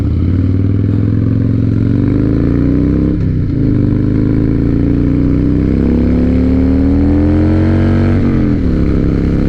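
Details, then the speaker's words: 2007 Harley-Davidson Night Train V-twin after fixing holed in-tank fuel line and weak fuel pump: smooth pull through two gear changes at higher rpm, no top-end flutter as before when tank was full; running clean. "Yeah. Even when the tank was full and you'd get up to those higher RPMs and the higher gears, it would just flutter a little tiny bit up on the top end. It feels great, man."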